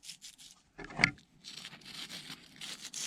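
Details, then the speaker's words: Losi DB Pro RC differential bearing on the gear taking ring and pinion load, spun by hand after cleaning; gritty hissing rasp in uneven bursts, the other bearing still smooth – rough bearing. "that bearing's real bad with this one not so much this one still has a smoothness to it"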